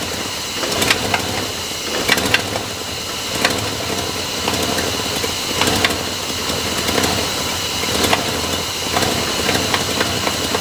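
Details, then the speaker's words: Cold V8 at about 71° before timing-light tune-up: uneven idle with irregular stumbles and hesitation; warm it idles fine at 570–590 rpm. "so you can kind of hear the aolan kind of rough it hesitates"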